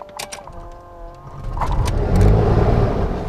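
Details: Beechcraft BE58P pressurized Baron, left engine start with the fuel boost pump on and fuel pressure rising, throttle brought back to about 1000 RPM once it fires. The starter grinds steadily, then firing builds to a rising roar: a normal piston engine start.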